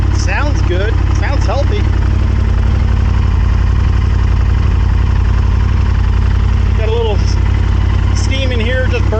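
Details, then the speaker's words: 1998 Honda Superhawk (Firestorm) with seizing history, after carb cleaning, on an IV-style fuel bottle, before warm-up: steady even idle, smooth low beat, no knocks or misses; runs cleanly now, plugged carbs suspected as cause. "all right guys it took a little cranking but it's running it wouldn't do this before so this is definitely a good sign"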